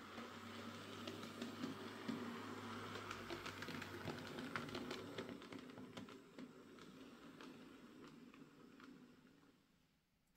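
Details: Hornby J15 model locomotive, after motor replacement (original ran slow and noisy since new, bought a couple of years ago), running on layout track: soft, even motor whirr with light track clicks, much quieter and smoother.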